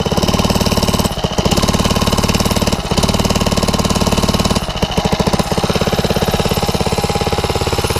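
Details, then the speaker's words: Backyard ATV with a 79cc four-stroke engine, gearing far too tall, only drives backwards: slow, heavy single-cylinder thumps dipping as the engine bogs under the rider's weight, too weak to move itself; engine lugging under load. "It's not even strong enough to move itself."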